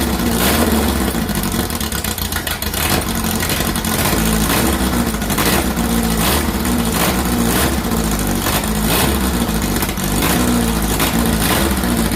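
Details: 2332cc VW bug (Dust Buggy) after cleaning carbs and setting mixture screws: quick throttle blips rise and fall cleanly with steady firing, no stumble; smooth running.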